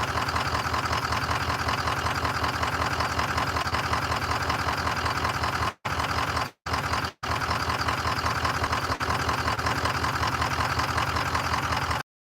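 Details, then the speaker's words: Massey Ferguson diesel tractor idle for almost a year, weak battery trickle-charged to about 12.5 V: steady fast cranking at two to three beats a second with no firing; cranks but won't start, stubborn. "So, it is going to start. It's just being a little stubborn. We'll give it another chance to charge for a few minutes and crank it over again."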